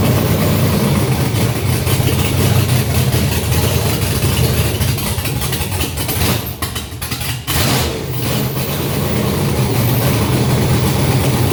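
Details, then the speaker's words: Junkyard GM LS 5.3 V8 first fire on an engine stand, no coolant, short run, about 20 psi oil pressure, block about 98 degrees: fires and settles into a steady even idle with a brief dip, maybe slightly rich; normal idle. "Sounds good. And we have a runner. So I think the thing sounds pretty good."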